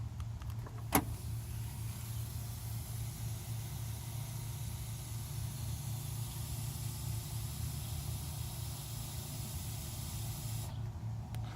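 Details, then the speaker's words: 1999 Mercedes CL500 with the door open: a lock click, then a steady hiss over a quiet idle from the leaking door lock actuator; vacuum leak, OEM actuator ordered. "the door lock actuator is leaking indeed matter of fact let me show it real quick when the door is open I can actually show you can clearly hear it hiss"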